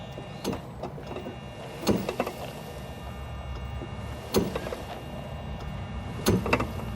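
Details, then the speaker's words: Yamaha G29 golf cart, seat removed: low electric drive hum broken by sharp clunks each time the throttle is backed off (a lighter click is just the solenoid), caused by a worn input shaft bumper, fixable without removing the motor. "now to repair the clunking it's an input shaft bumper is what we're going to replace here"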